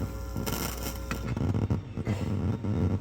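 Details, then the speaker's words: Airline amplifier bought as working: steady low mains-type hum, buzz and faint crackle with no audio through the speakers, some sound only on the left speaker and crackling on the right; volume and balance pots gritty and trashed, other board faults suspected. "So, I put some speakers on it and um now I'm not even getting now I'm not even getting any sound except for that buzzing that you hear there."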